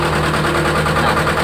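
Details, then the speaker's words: Mitsubishi diesel truck that ran out of fuel and sat several days, just started after bleeding: lumpy, uneven idle with a wavering, stumbling beat as the injection pump is still filling from the filter; air in the fuel. "ini bergetar. Kenapa bergetar? Jadi BBM dari pompa dari pompa masuk ke filter, dari filter ke bospomnya itu masih kosong."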